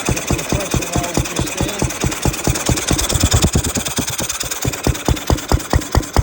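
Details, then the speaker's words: Ruston 6PS petrol stationary engine running after belt start, magneto remounted so it sits further into the drive coupling that had popped out; even, steady thumping about two beats a second, no misses, running smoothly and healthy. "I have the Ruston now running on the good one belt start. There she is."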